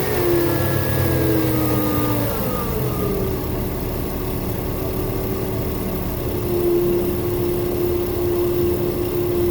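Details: 2000 Toyota Avalon XLS running: steady hum over the engine rising and falling in pitch with revs; failing alternator, died after the battery was replaced; new alternator and belts cured the sound.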